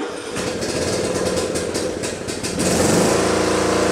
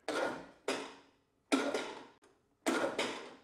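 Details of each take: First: Briggs & Stratton Intek riding mower engine after repair of a broken camshaft decompression (compression release) cam that stopped it turning over. Quick cranking ticks, then it catches within three seconds and settles into a steady, even single-cylinder run; starts normally. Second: Riding mower, Briggs & Stratton Intek engine, won't turn over: four short cranking bursts, each stopping within about half a second at compression; broken camshaft decompression (compression release) cam, not battery or starter.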